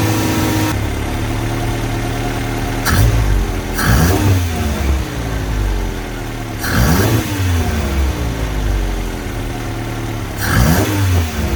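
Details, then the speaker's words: Toyota KE10 Corolla first run at about 2000 rpm for 10–15 minutes: steady fast idle with quick blips falling back smoothly, plus a sharp raspy edge. Exhaust leak, which sounds like it is at the front where the extractors meet the cylinder head. "so another thing we found on the running is that we have an exhaust leak so it sounds like it's coming from the front so where the extractors and the head meet"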